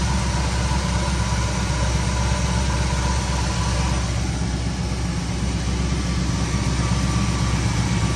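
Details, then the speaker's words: 1973 Ford Thunderbird 429 CI V8, 24,000 actual miles, after revival: deep, even idle with steady low burble, no knocks or ticks, no smoke; sounds healthy. "It sounds like a 24 or whatever it was. 24,000 mile motor, don't it? And it idles and it runs and"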